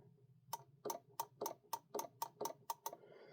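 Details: Technics SL-3200 record player under repair, mechanical cue/auto-return system engaged: sharp, even clicks about four per second over a quiet hum, platter not turning; mechanical tick inside the deck, cause not yet found.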